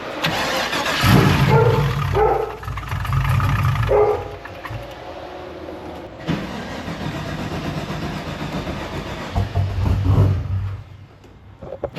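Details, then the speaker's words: LS-swapped Infiniti G35 with a cammed V8, first start after fuel line work: hard to start, flares then sags and nearly dies repeatedly; suspected insufficient fuel delivery after the fuel line and pump work. "It took us a couple tries to get the car started. Now obviously I was messing with the fuel and fuel lines and the fuel pump. Yes, the car is starting, but it wants to die every single time, and that's probably because it's not getting the right amount of fuel at the current moment."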